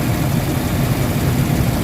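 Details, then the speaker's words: Honda Fit with CVT transmission at idle, checked for its transmission vibration complaint: deep, heavy rumble with a throbbing low end and no knocks or ticks, strong shaking felt by hand on the engine; heavy idle vibration, cause not yet confirmed. "So ngayon, pakiramdaman nyo mabuti yung tunog ng makina. Yung kamay ko, malakas yung vibrate. Nanginginig siya guys."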